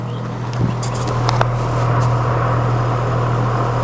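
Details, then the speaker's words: Five-year-old Goodman GPH package unit, blower and outdoor fan running but no compressor, capacitor looks bulged; a steady low electrical hum that never picks up, over the fans: the compressor is trying to start but stalls without a working capacitor. "wait a few seconds listen for a buzz that's it that's the compressor trying to start it's not able to start because it doesn't have the capacitor"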